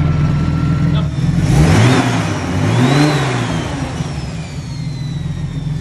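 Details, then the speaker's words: Datsun 280ZX turbo L28E, first start on Haltech 550 ECU: engine blips up and settles back smoothly twice with faint turbo whistle, no top-end or engine noises; runs clean and even. "alrighty that is it guys the car freaking runs and runs really nicely as well i forgot how good this engine sounds there's no noises up top or in the in the motor whatsoever which is super awesome it's so smooth"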